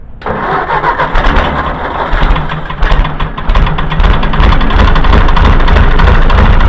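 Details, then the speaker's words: Gas/propane tractor with loader removed and a failing three-point hitch: engine cranks, catches and idles loudly with rapid heavy knocking from the hydraulic pump driveshaft spinning loose in its hole. "so that there's a knock real bad but it's the hydraulic pump there on the bottom they just cut the loader off of this thing and and that's that shaft spinning in the hole"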